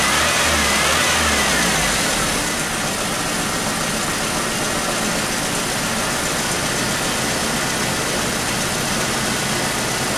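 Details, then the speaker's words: 1996 Chevy S10 2.2 L with over 260,000 miles, cylinder misfire persisting and no longer an injector problem; rough idle with a steady stumble and popping, likely caused by a broken spark plug wire. "well it's better but definitely there's still this fire it's not no longer injector problem something else is going on"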